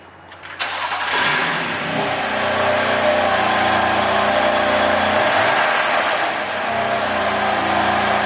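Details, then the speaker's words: BMW M4 bought from Copart, after replacing the snapped exhaust manifold with a new rear turbo and refitting the cats and brace: engine catches after a short crank, flares, then settles to a steady, even idle with no ticking or rasp; no longer sounds like before. "yes that sounds a bit more like it i think"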